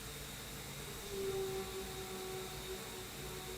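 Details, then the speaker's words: Hurco CNC, 10 mm MSC Edge end mill in H13 at 150% feed (nearly 3,000) and 115% spindle, cutting a small pocket: a steady even hiss and mid tone with no chatter or squeal. The cut is smooth and sounds lovely. "Look at that. Sounds lovely. I'm just going to try. >> You barely notice the difference really."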